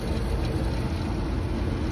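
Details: Rooftop belt-driven restroom exhaust fan after replacing the motor (old one had bad start winding, locked up) and cleaning: steady, deep airy rumble, no rise or fall, rattles or scraping; drawing about 5.3–5.7 A, under the 5.8 A rating; normal running.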